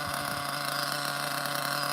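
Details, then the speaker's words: Nitro engine, Hyper 21 turbo engine in a 2-speed OFNA Ultra MBX buggy, screaming at steady high revs with a thin buzzing tone, leaning out as the fuel tank empties just before running out. "Feels like it's running out, it's about to run out. You can hear the acceleration. All right, it's gonna run out."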